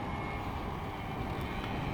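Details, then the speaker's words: Yamaha QT50 two-stroke moped ridden on the road after an intermittent electrical fix: uneven lumpy four-stroking as it slows, not a clean crackle. It is also slower than it should be; owner thinks it runs rich, unconfirmed. "hear that with just four stroke that's what they call it four stroking here it is right there when it goes and it slows down that's called four stroking in the two-stroke motor pit world"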